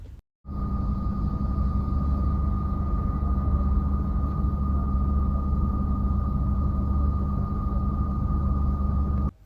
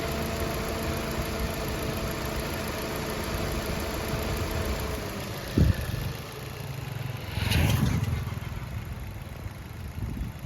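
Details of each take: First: 2021 Maruti Ignis petrol, about 20,000 km, idling and heard from inside the cabin before repair: a constant high whine over the engine, noticeable when parked somewhere quiet. The cause was a worn water pump bearing, fixed by replacing the pump. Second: 2021 Maruti Ignis petrol, about 20,000 km, idling after its noisy water pump was replaced and coolant refilled: a low, even idle with a couple of brief blips and no rattle or whine. The earlier noise is gone.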